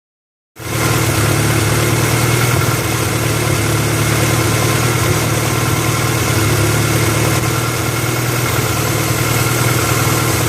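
Idle lopes unevenly with irregular stumbles breaking the beat against a steady hum, a misfiring cylinder at idle.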